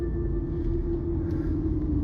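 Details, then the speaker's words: 2006 JDM Toyota Estima, 18 years old, driving over a sewer cover and bumpy road after replacing front sway bar end links: steady low road rumble with no clunks or knocks; earlier front suspension noise is gone. "And so far, if I drive over that sewer, nothing. Don't hear any funny noises anymore."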